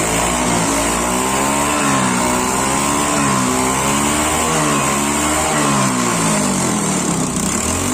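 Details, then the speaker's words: Honda Beat fuel-injected scooter, after fuel pump repair for a no-start and stalling on the road, now settles into an even, stable idle with only a gentle rise and fall in pitch, no misses or stumbles: normal idle. "Oke, motornya sudah stabil lagi."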